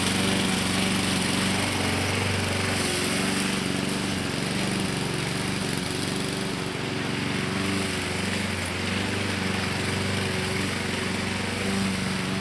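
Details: 2014 Husqvarna HU700F self-propelled push mower, Honda GCV160 engine, after carburetor clean and general cleanup: even, steady engine note holding constant speed without surging or hunting; normal, smooth, healthy running.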